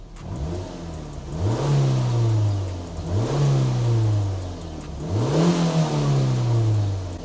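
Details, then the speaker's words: Completely stock Mazda MX-5 with about 95,000 miles, bought cheap with an engine management light, free-revved on a hot day: three clean revs rise smoothly and fall back to a steady idle with no knocks, misses or rattles, and no smoke from the back; normal revving. "No smoke from the back, all seems pretty good."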